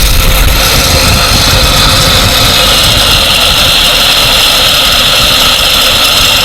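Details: 1947 Dodge six, once started after carburettor and choke work, warming up: steady even idle with no misses, knocks or hiss; running too nicely for a major inlet gasket or vacuum leak, normal idle.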